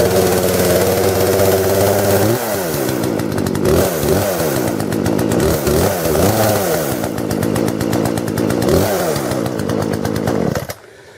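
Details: Cheap brand-new 14-inch chainsaw, small two-stroke, just back from warranty repair at the dealer: runs steadily, blips up and down in pitch a few times, then cuts out; runs and responds normally.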